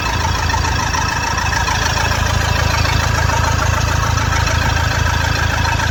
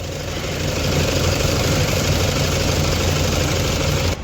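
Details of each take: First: Toyota Fortuner diesel had misfired; after injector work on all four injectors it idles with steady, even clatter, regular beat, no stumbling, all cylinders firing. Normal idle after repair. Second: Toyota Fortuner diesel, misses and knocks once warm though it starts fine cold, heavy vibration felt inside: uneven stumbling clatter and loping beat at idle, about three to four pulses a second; misfire from faulty injectors.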